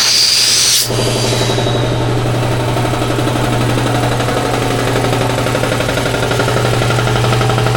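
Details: Shop air compressor after repair of its leaking pressure cut-off switch: loud steady motor hum with fast even pumping chatter, no knocks or squeals, building toward about 150 psi; running normally.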